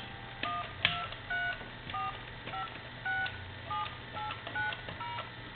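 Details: Crosley wood wall telephone with speakerphone, after repair (Q1 was bad; it used to short the line and only clicked when dialling), sounds clean paired keypad tones, each a short steady beep; the dialler works normally.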